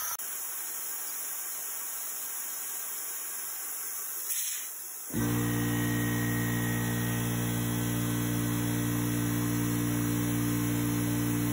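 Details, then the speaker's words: Craftsman 919.165200 5 hp oil-free compressor after bad capacitor replaced and 220 V wiring corrected, leaking regulator taped: quiet hiss, then motor kicks on cleanly into steady even hum, no groaning or stalling; cycles normally, cut-off just over 100 psi. "so i'm going to tape that down and then make sure the motor will start on its own just fine and then let it run for a"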